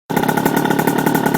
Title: RS 80cc exhaust leak